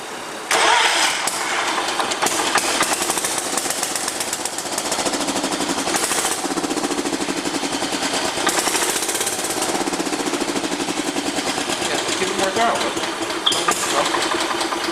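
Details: John Deere 210 lawn tractor, rebuilt carburetor, jump-started, choke on: long stretches of even starter churning with brief catches that never take; hard starting because fuel not yet reaching the carburetor.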